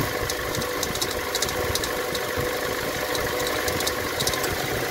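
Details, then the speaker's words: 2019 Toyota Tacoma 2.7L at idle: a steady metallic rattle and fast scratchy ticking that changed when WD-40 was sprayed on the idler pulley; the worn idler pulley bearings are the cause, to be replaced with the tensioner and belt. "Entonces ya al arrancar la camioneta pues ya me di cuenta que el ruido se modificó y eso me indicó que el problema son los valeros de esta polea que es la polea loca y esa es la causa que estaba provocando el ruido"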